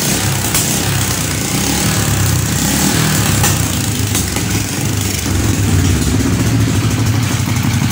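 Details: Small single-cylinder carbureted motorcycle started after carburetor float needle and seal check for flooding and fuel leaks: steady idle, even low thrum, no misses or stumbles; normal idle.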